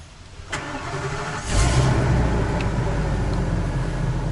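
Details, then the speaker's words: Coachmen 2890QB motorhome engine start: short crank, then a steady, even, beefy low idle with no weird noises, ticks or exhaust leak; a healthy start. "You can hear no weird noises or ticks or exhaust leak for that matter. And it's a nice beefy sound."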